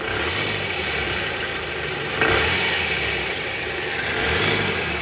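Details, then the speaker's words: Toyota Harrier at high mileage, idling and revved to about 1000 rpm in reverse with AC on, after belt tensioner replacement: a smooth run with the earlier growl gone, confirming the worn tensioner as the cause. "Oke sip suara ngoroknya udah hilang tahan yang tadi penyebabnya benar dari Tensioner guys"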